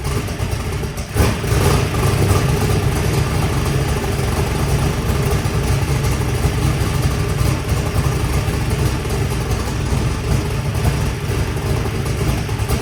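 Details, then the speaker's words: Turbo Saturn drag car on its first fire-up after rewiring: engine catches with a quick rev, then settles into a steady, even run with no knocks or misses; healthy, though a possible crack or loose fitting is leaking and it runs a little rich. "all right everything sounds good"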